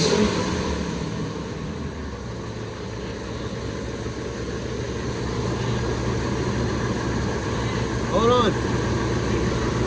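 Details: Ford F-250/F-350 Triton V10 first start after replacing leaking exhaust manifold gaskets and seized studs and refitting the Y-pipe: smooth, steady idle under a loud rush of cooling-fan air, no ticking or puffing exhaust leak; normal idle.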